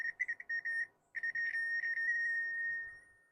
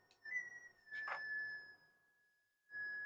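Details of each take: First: Minelab SD2000 metal detector with 4000-series logic being replaced by a Nucleo microprocessor board, leads clipped everywhere: PWM audio driven by the onboard ADC, high thin tone stuttering in rapid chirps then steady; harsh, unrefined prototype audio. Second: Minelab SD2000 metal detector with 4000-series logic being replaced by a Nucleo microprocessor board generating pulses, PWM audio from onboard ADC: steady high whistle near 1.8 kHz cuts in with a brief blip; normal detector switch-on tone.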